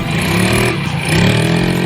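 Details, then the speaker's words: Yamaha Mio J scooter after replacing CVT sliders to cure squeal when throttled from standstill: smooth pull with even rising drone and no squeal; noise gone, transmission healthy. "tidak ada bunyi, bagus."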